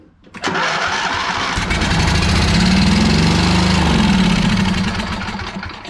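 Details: John Deere zero-turn mower with a newly mounted engine: short crank, then the engine catches and runs steady and even with no misfire; normal start and run.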